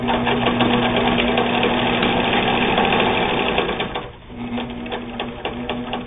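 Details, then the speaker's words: Singer 99 all-steel three-quarter-size sewing machine: crisp, even needle clatter at about three and a half strokes per second with a clean motor whir. A healthy, well-running machine. "it's all steel drive a strong machine strong enough to sew just about anything you want to sew on it"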